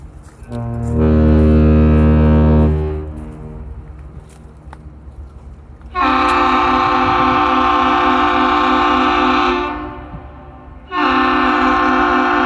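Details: James R Barker ship arriving at Duluth at night, later horn salute after an earlier misfire; deep rich horn chord in long steady blasts, sounding cleanly and working properly.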